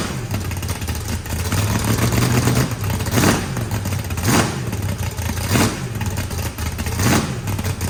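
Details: Freshly built turbocharged 409ci small block Chevy V8, added compression, first start: sharp rev bursts every second or so, dropping cleanly back to a choppy idle; healthy, rowdy, normal revving.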